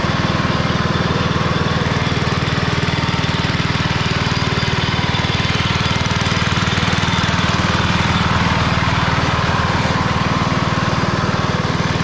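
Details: 1991 MTD 12/38 riding mower after a rattle-can restoration, basically finished: it starts, moves and mows. The small single-cylinder engine holds a steady, even chug at constant speed with no misses or knocks. Normal running.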